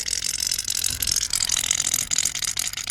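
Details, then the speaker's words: 2009 BMW 120i M Sport convertible (E88), roof hydraulic pump in trunk after motor replacement: rapid high-pitched uneven ratcheting chatter while running; weird sounds, fluid leak then found at the bottom; cause suspected, not confirmed. "If there's a leak, then we need to replace the pump. Ooh, I can hear sounds. I can hear weird sounds."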